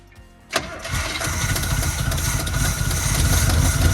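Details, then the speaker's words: 1972 Chevy C20 3/4-ton with factory 402 big-block V8, fuel line disconnected, running only on fuel poured into the carburetor: cranks, catches and settles into a steady, even idle with a low rumble and a little exhaust smoke. "Oh, it's idling. That sounds good. Okay, a little smoke coming out the butt. That's pretty good, gents."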